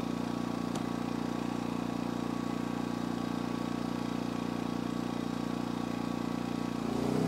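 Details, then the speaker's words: Energizer eZV2000P gas generator in economy mode as camper and battery bank charger are plugged in: steady low drone, pitch and loudness climb as load comes on; normal RPM increase. "So you can hear the RPM go up and the noise level go up when I plugged in the battery bank."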